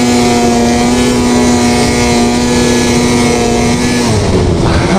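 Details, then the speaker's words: Two-stroke snowmobile, warm, after cleaning dirty power valves that caused high-rpm bog: full-throttle scream at high revs with steady clean tone, no stumble or bog, pulling hard and wheelying; back to normal. "We got it, my friends, we got it. This thing is back to normal. It wants to rip wheelies, it really does."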